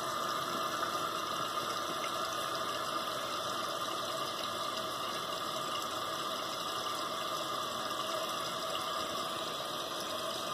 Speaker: that's how it works the water is filling up the bowl right now basically the water should go up until it it hits the float the float comes up and then when this goes up it should stop